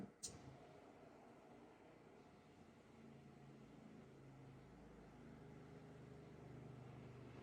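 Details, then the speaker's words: Winterizing a Panoramic RV: the Triway valve is turned toward the red hose and the water pump is switched back on. It gives a quiet, steady hum that firms up over a few seconds as it draws antifreeze from the jug, which is normal priming. "on entend la pompe à eau qui aspire pendant quelques secondes le liquide du bidon d'antigel"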